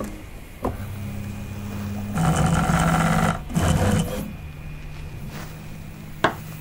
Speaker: yeah I said that that clicking noise sounded like it was skipping to me but I mean it didn't want to detect it so